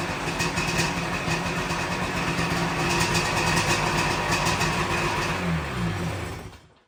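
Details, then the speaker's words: 1997 Sea-Doo XP 800 two-stroke after years sitting and carb rebuild: revs and settles with crisp, even throttle response before shutting off; running much closer to normal. "That was much closer to running normal. That was much closer to running normal. That's what I'm talking about."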